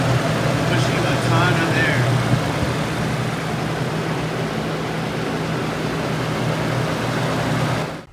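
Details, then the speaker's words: Stock 2015 Toyota viscous fan clutch at idle. Engine idling with airflow from the fan; the unmodified clutch barely moves air, with little wind heard. This is normal stock behavior. "This is a stock fan clutch. at idle. You can barely hear any wind blowing."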